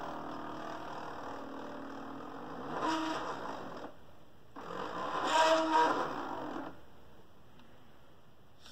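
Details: Original Fluidmotion SteppIR 3-element controller (version 3804) on a test jig in test mode, reflector element tested, possible lightning damage; the driven element isn't moving. Two short bursts of buzzy whirring with steady tones start and stop cleanly, a normal stepper motor drive.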